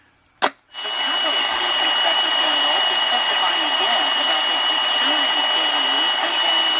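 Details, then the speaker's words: AM radio tuned to 84 WHAS Louisville in a shop: a steady hiss of static with wavering squeals sweeping up and down. The owner guesses a computer is causing the interference, unconfirmed. "You can hear the static and the squealing noises and things like that. Probably the computer, if I had to guess what it was."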